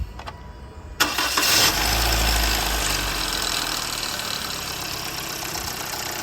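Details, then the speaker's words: Toyota Corolla before timing chain tensioner replacement, old tensioner stuck/jammed: engine cranks and catches, clattery metallic rattle over idle at start-up and when revved; timing chain tensioner rattle. "यह देखिए जी हमने engine को start किया और इसको accelerator दें तो आवाज़ आती है अंदर चोर जब गाड़ी को इंजन को स्टार्ट करते हैं तब भी आवाज़ आती है"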